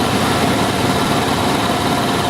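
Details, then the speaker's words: Dodge Dakota 4x4 5.2L after an R-12 to R134a retrofit, charging with refrigerant while the compressor clutch cycles. A steady rushing whir with a faint wobble and no knock or squeal: normal compressor noise as it draws refrigerant. "they hear the wobbler in there she's making a little noise which is good that means she's sucking fluid in"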